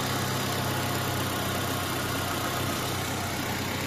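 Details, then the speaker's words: Renault Twingo 8-valve on first start after an engine rebuild, with a new battery: steady, even idle with a smooth low hum and no knocks, ticks or misses; normal idle. "Y ya, venga, les muestro cómo lo prendemos. Testigo de aceite, batería y allí prendió."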